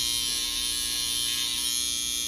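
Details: Babyliss FX trimmer, loud and not cutting hair, before replacing the whole blade kit: loud, harsh high buzz with a rattling edge compared to a brand-new unit, which points to a bent blade.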